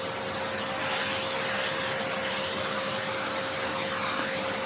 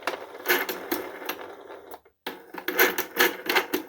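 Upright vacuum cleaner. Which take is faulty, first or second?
second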